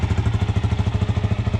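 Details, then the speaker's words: Suzuki 400 motorcycle fired up after fixing its no-start; steady, even single-cylinder idle, no misses or stumbles, running perfect and rode well. "I mean, it's running perfect. I took it for a ride, and it's running good."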